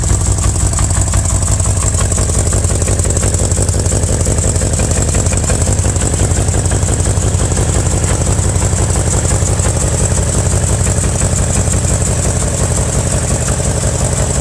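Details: 2000 BMW M5 V8 at steady idle with a regular knock underneath, about three a second. A bottom-end knock is suspected but not confirmed; engine knock of unknown cause.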